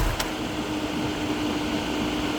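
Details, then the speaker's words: 1996 Honda 900RR Fireblade, radiator fans still running after the engine is shut off hot: a steady, even fan hum with a constant mid tone and no rattles or scraping. The cooling fans are working properly. "all right so fans are working she circulates she starts up she goes she shifts she stops all the lights work"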